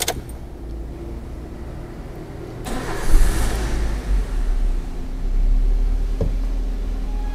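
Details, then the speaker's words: EFI car that cranked but would not start, code P0105; after replacing faulty fuel pump relay, starter whirs briefly, engine catches and settles into even idle, though check engine light stays on indicating remaining EMS fault. "Oke untuk kondisi mobil hidup ya Oke untuk kondisi mobil hidup"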